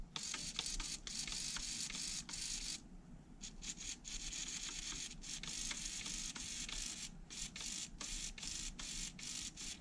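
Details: HPI Savage 3.5 nitro RC truck servo: quick whirring bursts with rough scratchy buzz, brake direction gritty and clicking inside, fighting itself; gritty servo gears, so swapped for another.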